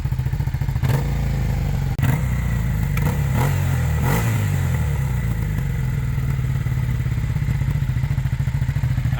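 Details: Long-abandoned Suzuki SV650S running after the cam chain tensioner was adjusted: a deep, even V-twin idle with throttle blips and no rod knock. A slight noise remains, possibly needing the rear tensioner adjusted.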